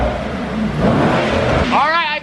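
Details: Mercedes E63S AMG (603hp) V8 heard from under the car after an exhaust leak was fixed by retightening the joints: loud clean revs with a deep even roar and no hiss or ticking; the exhaust is sealed and normal.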